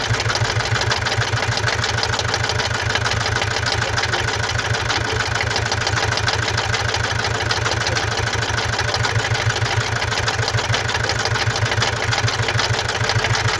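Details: 2017 Mazda CX-5 (GH) 2.2 diesel, 2191 cm³, 110 kW/150 PS, engine code SHY4, 152,302 km, idling: hard, regular clatter about two knocks a second, rougher than normal, caused by defective injectors and a defective mass airflow sensor.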